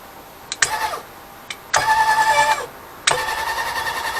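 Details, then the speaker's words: Grizzly G0758 mill DC Z-axis power head, fed temporarily from a 9 V battery for testing: three short runs of a clean, steady motor whine with fan running, crisp starts and stops, no grinding or rattle; works well. "so now we're going to see if this thing works so let's give us some power and I can hear the fan running"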